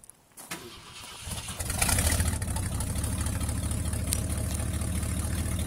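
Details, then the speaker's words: 1965 Ford F100 with a tired 390 V8, 289 carburetor and small-block intake: cranks and catches, then settles into a loud, rough, puffing rumble from extremely bad exhaust leaks. "Tired 390, extremely bad exhaust leaks, a 289 carburetor, and a small block intake manifold."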